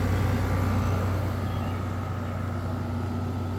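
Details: 2017 Frigidaire 5,000 BTU window air conditioner FFRA0511R1, possibly dropped, compressor just kicked on: smooth steady low hum with fan rush, no rattle or knocking; compressor runs quiet and healthy.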